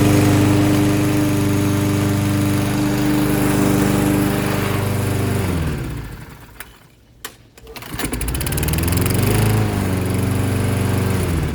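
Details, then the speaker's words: Toro 6.75 HP 149cc self-propelled mower with a Kohler engine, repaired after bad gas (fuel shutoff added). Cutting dandelions, the drone sags and nearly dies for a second, then picks back up to an even cutting speed; normal running under load. "there you have it guys toro 6.75 cooler engine back to running one pull start again"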